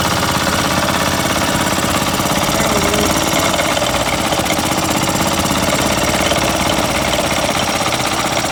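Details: Older Yamaha golf cart single-cylinder engine, sat a couple of years, first run after no-spark repair and complete fuel system overhaul, running on choke: fast, busy but steady chatter with no misses; it is running fine.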